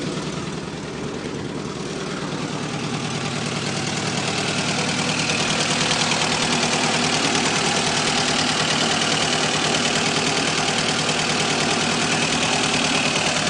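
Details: VAZ 2109 engine at a steady idle with a fast, even tapping about three beats a second, and the engine vibrates; knock of unknown origin.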